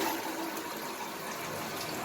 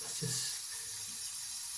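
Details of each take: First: Toilet cistern after replacing worn, ripped rubber diaphragm washer in fill valve: steady strong rush of water refilling quickly and cutting off cleanly when full; previously refilled slowly as a trickle. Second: Toilet cistern refilling very slowly, thin steady trickling hiss, taking minutes instead of under one; cause a torn rubber diaphragm in the fill valve.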